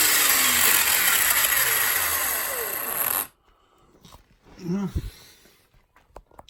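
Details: Losi 8ight Tekno RC with Castle Mamba Monster ESC and Castle motor, run after motor re-adjusted for tight gear mesh and transmission fitted: steady high motor whine for about three seconds, no grinding or chatter; normal electric drivetrain run.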